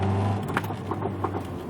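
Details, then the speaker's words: Low steady engine hum with a few sharp clicks as the throttle is released, from a bad right-side CV axle that clicks on the bad side. "that's a Telltale easy sign that if you have a bad CV axles you'll hear it clicking on the side that's bad and my right side is shot so that's why you're hearing the clicking"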